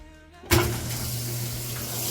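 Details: Older washing machine, over 10 years old, after its slow-filling water inlet valve was replaced, on the light load setting: a click as the valve opens, then a steady strong rush of water over a low hum, filling evenly; normal fill.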